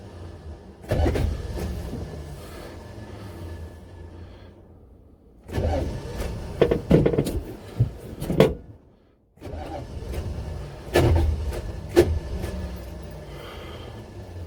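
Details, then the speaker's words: Buick Electra 5.7 L diesel, first start in a year, blown head gasket unrepaired, glow plugs pushed 10 seconds: three crank bursts with sharp clanks as engine kicks, then starter throws out and grinds; battery dead, starter not staying engaged, cause unconfirmed. "okay all right well every time the engine gives a kick it just pops up starter raw out"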